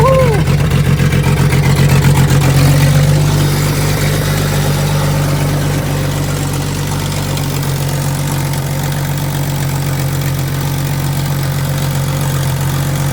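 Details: 90s Jeep, previously stripped, that would fire but not run with no fuel pump sound; after fixing, fuel pump primes, short crank, catches and settles into a steady even idle with a smooth low drone, healthy start.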